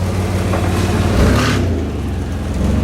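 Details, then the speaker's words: 1991 Chevy S10 after new spark plugs, wires, cap and rotor: a steady low engine note swells cleanly on a quick throttle blip and settles back evenly; it runs strong, though the starter may be meshing too tightly. "the run's good after putting the spark plugs in it and new wires new cap and rotor"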